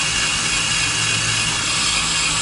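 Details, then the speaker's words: Drilling a steel hole on a 2019 Ford F-250 Super Duty to fit a Torklift StableLoad: even, high-pitched grinding hiss over a low motor hum as the bit cuts cleanly and just starts to poke through. "Okay, it's starting to poke through now. Just ever so slightly, so a little bit more."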